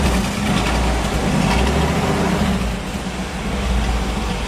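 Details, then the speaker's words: Willys gasser with a stock engine built as a street driver that doesn't run hot. Steady, even low idle rumble with no knocks or misses. Normal idle. "and you can hear how it uh runs the engine as a stock engine i didn't want to spend a ton of money on putting a three to a ten thousand dollar engine in it this way you can drive it on the street it doesn't run hot it's just a nice driver"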